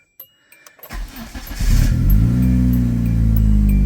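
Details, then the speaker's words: 1998 Hyundai Tiburon, 1.8 L inline-4, 5-speed manual, 51,875 original miles, original timing belt and water pump, nearly out of fuel: a few clicks, short crank, catches within a second and settles to a smooth even idle; fires right up normally. "But it is running. Does run. Like I said, it fires right up."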